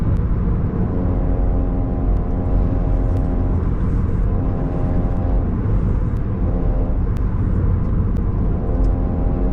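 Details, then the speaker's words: Coda electric car driving: heavy road rumble under a swelling, fading droning howl from a failing right rear wheel bearing after about 4,000 miles. "dding the right wheel bearing is going out now these bearings must be made of glass and this time there's not something missing it's just a bearing that's failing after a long hard life of just 4 000 miles"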